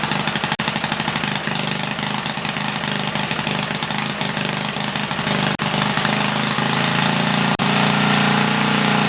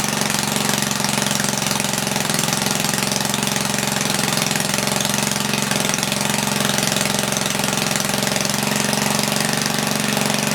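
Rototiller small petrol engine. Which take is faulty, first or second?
first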